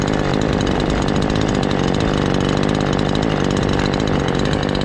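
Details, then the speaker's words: Ported Husqvarna 543 XP chainsaw after final tune tweak, cutting at about 9,500 rpm with cover off: steady, clean, high scream with no bogging or four-stroking; tune about right. "Now we're getting there. That's about where we want it on the tune."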